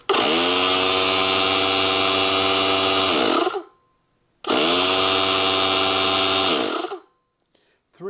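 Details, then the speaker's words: Compressor of a newly built digital vacuum wax injector: loud, steady motor drone starting and stopping twice, winding down each time; very noisy, switch suspected sticky, otherwise expected to work. "I bet the cat's nowhere at this end of the house at this point I'll bet oh dear poor thing that is noisy"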